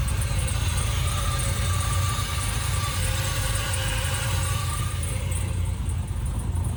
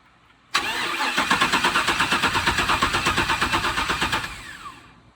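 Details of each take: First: Freshly 6.0-swapped Camaro fires and settles into a deep, steady rumble with even beats and no misses; smooth, healthy first-start idle, fuel pressure questioned during cranking. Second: Camaro with swapped 6.0 engine cranking steadily without firing; coils show 11.9 volts key-on but lose all voltage while cranking, no spark; wiring fault suspected, yet to be traced: crank, no start.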